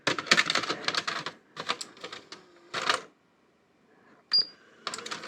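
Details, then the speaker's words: National/Panasonic NV-730 VHS VCR on the bench, powered up: short bursts of motor whir with crisp clicks and clunks as the tape threads and ejects; strong, healthy load and unload, wide belt, though takeup sounds bumpy from the idler tire. "look at that it's got a really good strong load and unload so that's nice"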